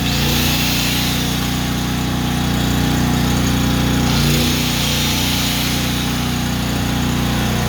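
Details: Honda generator after a no-start tune-up (carburetor cleaned, oil changed, fresh gas), first start with choke on: loud, steady run at even pitch, no surging or sputter; normal idle, runs perfect.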